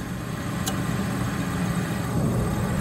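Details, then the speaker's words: Trane Voyager gas package unit not heating, after clearing snow, power reset and call for heat: steady low roar builds and holds without popping or sputter; burner lit and firing cleanly. "all right she kicked on that time oh that one's easy"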